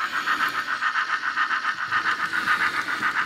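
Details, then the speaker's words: Fleischmann item 4118 BR 18 model steam locomotive with custom sound, drive in the tender only: steady pulsing whir with a high squeal, motor straining; it runs a while then stops, owner suspects slipping tender gears. "I think gears are slipping in. Because if I get it moving, it'll go for a while and then stop."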